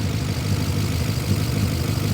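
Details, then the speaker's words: BMW E39 540i V8 after fixing missing EGR pipe and reseating its pipe: steady idle with busy, even top-end ticking over low rumble, exhaust leak puffing gone. Noisy valvetrain at idle. "now it's just loud heads which I mean what are you going to do right"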